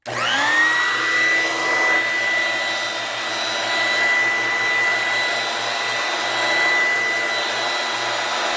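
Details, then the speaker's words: Older Dirt Devil hand vacuum, probably the loudest of several compared: motor spins up fast to a loud, steady high-pitched scream holding even with no wobble; normal healthy run. "Alright, this is probably the loudest of them all. I'm going to go and turn this thing on. You can hear this thing scream at the top of its lungs."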